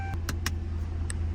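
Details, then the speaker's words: Restored stolen 2007 Ford Crown Victoria Police Interceptor after repairs, ready for pickup: smooth, steady low hum with a few light clicks, no knock or stumble; starts right up and drives, normal running. "the best part is that starts right up drives it goes"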